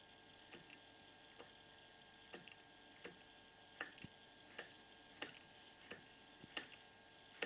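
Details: Purejet scooter just fitted with a new Malossi 70cc cylinder kit and Malossi crankshaft, crank spun by hand: a single dry click once per turn near top dead centre, seemingly from the con rod; owner unsure if normal.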